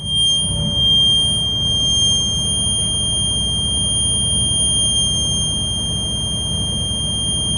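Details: Diesel school bus at raised high idle during the AM air brake check, building air pressure to the 120–140 psi governor cut-out; steady low rumble with a constant shrill warning buzzer. Normal high idle.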